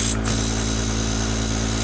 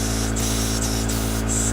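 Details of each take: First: Small single live-steam engine in an RC boat, reversing valve tested out of the box: steady low hum with an even chuff of about three per second and no knocks after direction is switched. It runs smoothly, though it is hard to restart at low pressure. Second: Small live-steam RC boat engine, out-of-the-box reversing valve test, with oil: only steady steam hiss, no piston beat; engine stalled at low pressure after slowing and switching and won't restart, attributed to the engine rather than the valve.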